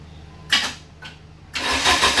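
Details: 1989 Dodge Daytona 2.2 TBI-to-turbo conversion, after fixing distributor timing and plugging an open hole: brief cranking, then steady even idle with a light turbo whoosh; clean, healthy startup.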